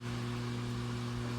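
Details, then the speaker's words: LG WT1101CW top-load washer stopped mid-cycle showing the IE error, persisting even after unplugging: a steady low electric hum holds without a break as the drain pump runs continuously and will not shut off. "I don't know if you can hear that but that's the the drain pump and it doesn't seem to want to shut off."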